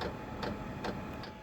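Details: Japanese diesel heater after 20 days of use, about 17 hours a day, ticking over at low setting using about five liters per 30 hours: soft steady rumble with light fuel pump tick every 0.4 seconds; normal running.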